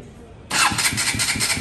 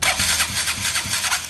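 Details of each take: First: KTM Duke 200 that cranked but would not start: brisk even cranking about 1.5 s, scanner shows cranking speed over 500–600 rpm, engine fires and settles to quiet idle; normal cranking and start. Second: KTM Duke 200 that only starts when bump-started: slow, laboured cranking around 400 rpm drawing excessive current (over 200 A) that never catches; starter weak, though a tight engine was also suspected.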